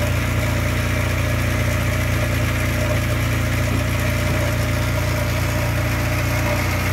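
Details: Škoda 1000 MB/1100 MB De Luxe, first start after 15 years: steady low idle with even beat, no knocks or rattles, runs smoothly and sounds healthy.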